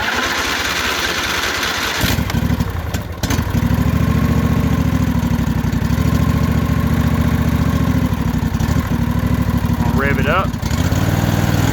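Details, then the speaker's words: Briggs & Stratton Intek V-Twin, cold morning below 70°F, on choke, after valve lash adjustment: settles into an even, steady low thump at fast idle with a faint cold cough; much better than before, when it barely idled. "trying to cough a little but it could be because it's cold I mean that motor is it's cold this morning"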